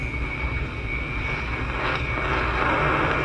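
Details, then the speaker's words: Warm Beverage-Air beer cooler, likely low on refrigerant, probed with leak detector: steady rushing hiss with faint high tone swelling stronger toward the end at the top of the spot versus weaker at bottom; refrigerant leak located. "you can hear the difference right there what leek is at the top you hear it at the bottom not very strong without me"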